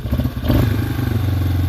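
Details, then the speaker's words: Yamaha Wolverine ATV with rebuilt carburetor (possibly Mikuni), test after reassembly: engine revs up and hangs with a steady drone instead of dropping back; high idle, cause unknown, throttle response otherwise fine. "but she ribs up like that i don't know what quite what quite white does that but it is what it is but as far as throttle response and everything she runs perfect just got the high idle issue with it so we'll have to kind of figure that out"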